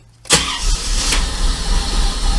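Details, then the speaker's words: 1994 Corvette running rough after Seafoam treatment: stumbles, won't idle, dies when gas pedal pressed, like choking for fuel; ran great before. Owner suspects fuel filter, replacing driver-side plugs; cause unconfirmed. "that's how it's running it's it's like it's choking for fuel and this thing was running great before I put the seafoam in it come on no I can't even get it to idle and when I hit the gas pedal it it just dies"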